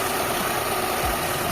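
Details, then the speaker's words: Mitsubishi Lancer Pizza, carbureted 4G13 engine, brought in for stalling in neutral and hard starting: after vacuum returned to normal and idle speed screw adjustment, quiet, even idle with no misses, knocks or surges. "Ayan nakang kondisyon na mga boss. Yan napakatahimik na ng makina niya sir."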